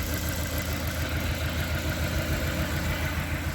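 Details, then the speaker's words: Honda Accord CB7 G23 engine, idle with injector connectors unplugged one at a time: lumpy beat about three pulses a second, no change unplugging number two; dead cylinder from faulty fuel injector number two; single-cylinder misfire. "we know she runs like garbage with number one plug we unplugged number two"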